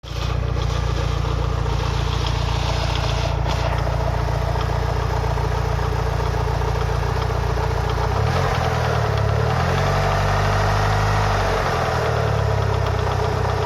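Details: Mitsubishi Lancer Evolution VI 4G63T turbo four-cylinder fully warm (oil 85–90°C) at idle: steady knock about three a second over the low engine note; owner unsure whether rod knock or lifters.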